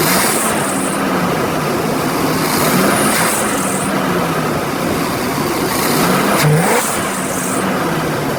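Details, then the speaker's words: 1990 Chevy 454 TBI V8 that stalls from cold and fails smog on high hydrocarbons. It starts, settles and revs cleanly with an even, healthy note; the original belts slip. "Let me start it so that you can hear what it sounds like. Seriously, she really runs good."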